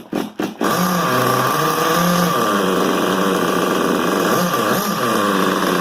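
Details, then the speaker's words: XTM X Factor 2004 nitro rock crawler with a new XTM 24.7 engine, low-speed needle just adjusted and possibly not warmed up yet. The high buzzy engine wavers, surges, stutters and cuts out, running rough and still needing fine tuning. "so you can see it just um cuts off a lot so i'm going to have to do a lot of fine-tuning"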